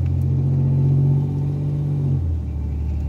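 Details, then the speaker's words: 1987 Chevrolet Celebrity Eurosport 2.8 V6, driving at about 15 mph with the automatic transmission warmed up, after replacing a bad vacuum modulator: steady drone, then a clean upshift with no slip or flare, where before second gear dragged. "i can already tell the car is like 100 like brand new again shifts are way better"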